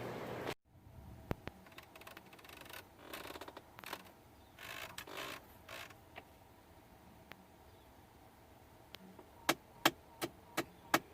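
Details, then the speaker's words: 2010 Ford F-150 passenger-side AC blend door actuator, cheap Dorman replacement fitted in March failed again with stripped gears: sharp, repeated clicks knocking from inside the dash; needs replacing. "you hear that that's the blend door actuator in here so we've got to replace that"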